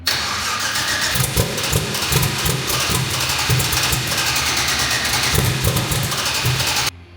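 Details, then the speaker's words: Turbo V8 Ford Fairmont's first start after rebuilding with straight rods replacing bent ones and reinstalling the manifolds. It settles into a lumpy but even run with throttle blips and no knock heard; unclear yet if it sounds better. "I can't tell you if it sounds any better yet. No, but I don't hear a knock."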